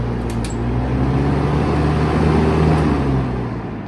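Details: 1971 Kel-Aire model 7000 20-inch three-speed box fan, unserviced and sitting in its box for a while, switched off: low steady hum and soft rumble fading as blades coast down; normal spin-down.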